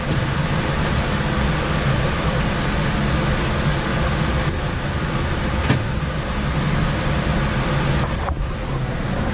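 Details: Coleman DGAX056BDTA furnace in a manufactured home, constant-torque ECM blower with 24-volt motor taps set to high: heavy, loud whooshing roar with deep low rumble; excessive blower noise, fixed by lowering blower speed.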